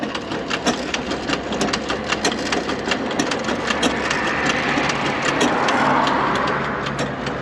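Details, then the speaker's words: 2016 Hyundai Tucson with intermittent check engine light and code P0303, plugs or coil suspected, test-driven to see whether the code follows the coil to P0302: uneven, stumbling ticking, engine shaking, check engine light comes on. Cylinder misfire. "sí se ve que haga el fallo está temblando y fallando a a ver si lo detesta que prendea el Chick engine ahí está ahí lo detectó prendió el Chick engine y sigue brincoteando y todo"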